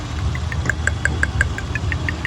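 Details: 2000 Honda Odyssey with flashing check engine light, engine shaking: uneven idle with sharp ticking about six times a second from a misfiring cylinder; coil-unplug test found a bad rear middle coil, needs replacing.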